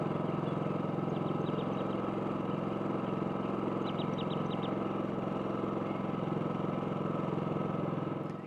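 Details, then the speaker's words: Champion 4500 dual-fuel generator, 3,500 W rated, in eco mode with no load, used for comparison with a WEN 4800 W: low, steady drone, even beat, no hunting or surging, birds audible; normal eco idle. "This is on eco mode, so let's just take a look real quick. Champion on eco mode, no load."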